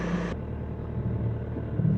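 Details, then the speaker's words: BMW E46 bought at police auction, sat five years and not started for a few days: engine starts up just fine and settles into a steady low rumble, even idle with no misses or knocks; normal start and idle. "But let's try to start the car again. It hasn't been started in a few days now. So, we can see that it actually still runs. [Music] That starts up just fine."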